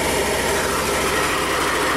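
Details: 2021 Yamaha XMax 125 (Blue Core) after an engine failure at 11,000 km, idling to warm while a leaking casing awaits replacement: a steady, even idle with a soft whirr and no knocks or rattles, smooth and healthy.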